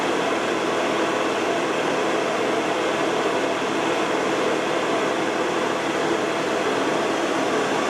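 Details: Carver Fanmaster caravan heater 12 V fan, 1996 Swift, after fan and control PCB repair: steady whirring rush with slight speed shifts, no scraping or rattle; runs smoothly, though motor runs quite hot and may fail.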